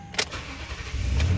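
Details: 2008 Toyota Tundra 5.7L V8, towed in with no crank/no start, after repairing a cleanly broken wire (probably mouse damage) with a butt connector: short crank catches quickly and settles into a deep, even low rumble; clean start.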